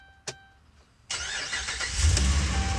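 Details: After a quiet moment and a click, the V8 of a Dodge Ram 1500 fires almost instantly and settles into a strong, steady rumble after fixing a crank-no-start from no fuel pressure via the TIPM fuel pump relay; a ticking from an exhaust stud follows.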